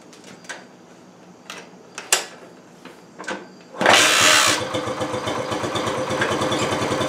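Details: 1968 Honda Trail 90 that sputtered on the road, after freeing a sticking carburetor slide: clicks, then the small single fires and settles into an even, rapid putter without hesitation; normal revving.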